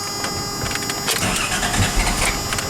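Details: Toyota T100 2WD pickup, 3.0 engine, 5-speed manual, about 135,000 miles, no catalytic converter, exhaust exiting behind the door: cranks, catches and settles into a loud, raspy but even idle; healthy.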